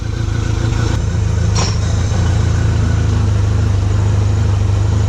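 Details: 2014 Mercury 115 hp four-stroke outboard, running after a fuel-delivery no-start diagnosis with its low-pressure lift pump working. Smooth, even low rumble with a steady beat, no misses or knocks. Clean idle; in gear it runs on all four cylinders.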